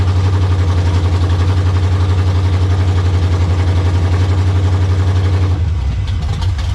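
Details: Monte Carlo, slightly warm, after swapping carburetor and distributor from a parts car to fix a long-crank start problem: steady, even low idle with no misses or knocks, starting readily; carburetor not yet tuned.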